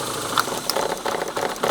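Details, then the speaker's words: Renault Twingo already misfiring on two cylinders; brand-new spark plugs, strong spark seen at the leads. With one lead pulled the engine runs on one cylinder: very lumpy, shaking idle with heavy uneven pulses and rattling. "Now we are running on 1 cylinder. And the same over here, of course."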